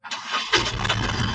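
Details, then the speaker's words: 2023 Mahindra Supro Profit Track BS6, about 700 km, after wiring/connector repair for DEF error, DTC U113700 and no-start: short crank catches quickly into smooth, steady idle, no misses or knocking; DTCs cleared, check engine light off, normal start. "हमारी car शुरू कर दिया और metre जांच engine बत्तियाँ बंद हैं।"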